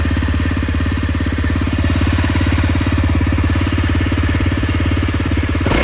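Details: CRF250L single-cylinder, even thump at steady idle with a short blip near the end and no audible rattle over the exhaust; the work concerns cam chain tensioner replacement for a clatter heard when closing the throttle. Normal running.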